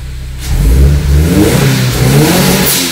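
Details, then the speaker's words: Subaru BRZ with SBD500X turbo kit, first start-up after install, revved after warming. Swings from low idle into a smooth, deep rev that falls back cleanly; blow-off valve audible; deeper tone likely from the turbo. "not only that but it actually sounds good it's uh I've had will equal length Heather's before and they didn't sound like this this one has a bit of a deeper tone into it probably because of the turbo"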